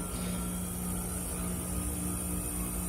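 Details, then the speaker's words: 12,000 BTU mini-split glycol chiller, R-410a, 120 VAC: after reversing valve switches, compressor kicks on with a steady low hum and even tones, no knocking or rattle; compressor running normally, condenser fan due about 15 seconds later. "so the next step in the process is it's going to do the solenoid the other direction the reversing valve and then kick on the compressor and that should be here momentarily"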